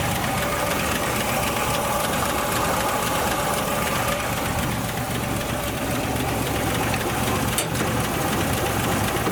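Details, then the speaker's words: 1962 Ford Falcon with original Holley carburetor refitted, after fixing a vacuum leak on top of the fuel pump: steady, even dense-rumbling idle, no hiss or surging, no obvious leak; idle may still need adjusting. "All right, she should fire up now. No more vacuum leak. Might have to adjust the idle now."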